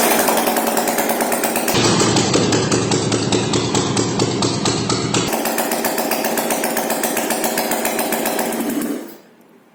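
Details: Yamaha AG200 single-cylinder motorcycle after complete engine rebuild with new piston and rings, first start: fast even popping holding a steady beat through a rev change, then cut off; normal running.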